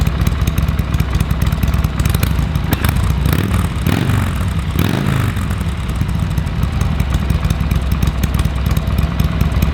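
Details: Harley-Davidson Sportster 883 barn find that sat over 20 years, fresh oil and filter, temporary carburetor fitted: deep loping V-twin rumble with one brief throttle blip, steady and strong; normal idle.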